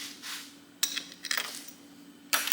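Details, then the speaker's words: 2002–2007 Jeep upper driveshaft at the transfer case, clicking only in four-wheel drive: worn, dry CV joint gives sharp uneven metallic clacks when turned by hand; to be replaced with a rebuild kit. "this thing is a it's bad it's not supposed to sound like that and and this is the part we're changing"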